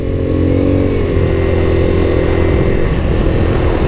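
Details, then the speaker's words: 1984 Yamaha Riva 180 scooter after carb rebuild, ridden: single-cylinder note sags and labours in a dull, strained drone, bogging and short on power; cause not identified. "That's actually really interesting. Struggling. Struggling"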